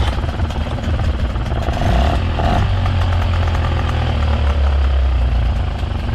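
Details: 2005 Honda 20 hp long-shaft outboard bought cheap, after fuel connector hookup, stop button wired and spliced to ignition, fresh gas; fired first pull. Even buzzing run, steady low beat, light clatter, no stumbling or surging; normal running.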